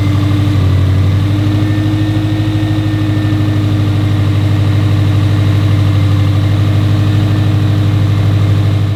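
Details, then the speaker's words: 2017 Subaru STI (VA, 400 whp build) at its first start after resealing the valve cover and re-timing the cams: fires right up to a steady, smooth low-rumble idle, no knocks or misses. "Well, you guys heard it, thing fired right up, so let's get the oil drained, we'll get some coolant in this thing, and start it back up."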